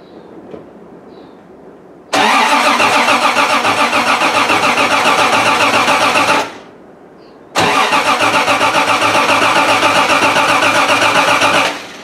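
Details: Triumph TR6 cranking after winter storage, fuel pump primed with the priming lever to refill the carb bowls: two cranking runs of rhythmic starter whirring at about four beats per second, cutting off each time; normal cold start.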